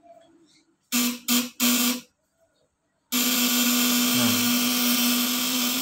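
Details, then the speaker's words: Fish-shocker inverter (12 V/24 V supply, 200–1000 W, 500+ V output) running with its stick dipped in water as a load. The contact breaker (platina) is deliberately loosened, giving a coarse, stuttering raspy buzz instead of a smooth high-pitched whine. "Celupin stick ke air, nanti Anda kencengkan sampai suara itu benar-benar halus, kencang, melengking. Itu hasil terbaiknya ya. Contohnya seperti ini nih, saya kendorin ya."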